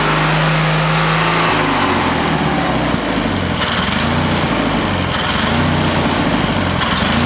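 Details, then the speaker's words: Used lawnmower engine fitted to an old Ariens walk-behind mower, running after work on the head bolts and a new top, on fuel of doubtful quality: single-cylinder putters steadily, drops to a slower idle as idle is set, then runs smooth and even; runs really good. "Well, it ran good. Runs really good. Trying to get it to idle there at the last little bit, but I think it'll work just fine for what we need it."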